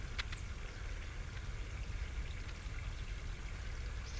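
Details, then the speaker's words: Downspout drain corrugated pipe sound test before root cleaning: faint steady trickle and rush of water inside the pipe over a low rumble; this run flows freely. "So now we're going to do a sound test from this one down to the next one. See if you can just hear that water running inside there."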